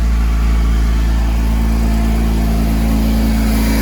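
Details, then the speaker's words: 2005 Porsche Boxster S 987 after a new air filter, a new air-oil separator and intake cleaning: steady, even idle with a smooth low drone, no knocks or ticks, less smoke than before; normal idle. "Well, sounds like it's running good."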